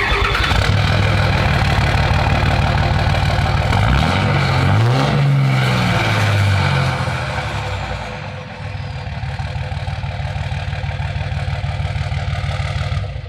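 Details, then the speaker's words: Dodge Ram Cummins 5.9 24v diesel after number six valve bridge/rocker issue, possibly just out of adjustment; quick start and steady even idle, rattle gone, no knock: normal start and idle. "so it fires up fine sounds fine"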